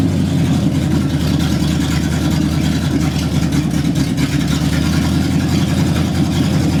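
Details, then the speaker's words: 1960 El Camino V8, first start in 40 years on open headers with no exhaust, neutral safety switch bypassed, timing still being adjusted: loud, raw, steady burble with even firing; running fine. "this is just open headers so it's pretty loud and it might be messing with the mic a little bit"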